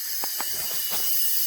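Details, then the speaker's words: Sea-Doo 951 DI during an air pressure test. The air regulator lifts at 80 psi and vents as it should, with a steady hiss from the rear through the red exhaust hose behind the injection rail. "okay so the um the air regulator is now releasing pressure and you can hear hissing from the rear end of the machine"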